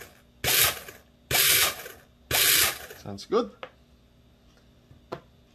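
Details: Airsoft Ver3 gearbox with helical gears during shimming, motor fitted: three short, even whirring bursts about a second apart, then handling clicks; gears cycle cleanly without grinding or skipping, showing normal gear mesh.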